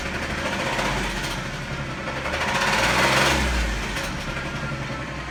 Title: 2010 Jeep JK Engine Knock after EGR